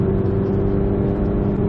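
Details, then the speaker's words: Stage 2 VW GTI, APR downpipe, front muffler replaced by Vibrant 17950 resonator to kill the drone that started at 2800 rpm; in cabin, windows up, 2500–3500 rpm: steady low hum, faint boom, near-stock sound after fix. "It takes the edge off of what was once there. It doesn't eliminate it, but it is drastically reduced and almost sounds stock all over again."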